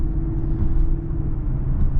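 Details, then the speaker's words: Lexus LS460 on its first drive after upgraded 2012–2017-type front control arms: steady low road rumble, no knocks or clunks from the front suspension. "yeah the clunking's definitely gone"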